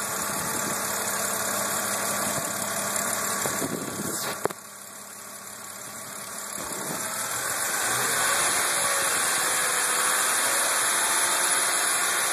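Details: BMW Z4 E86 Coupé 3.0si at idle: light, even ticking about four per second from the top end over a steady idle; cause unclear.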